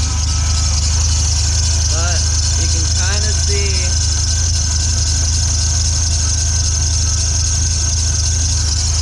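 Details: 1997 Ford Ranger at idle with a steady high belt squeal that persists after a new belt and a replacement idler pulley. Water on the belt stops it. The belt moves side to side at the tensioner pulley, which points to misalignment.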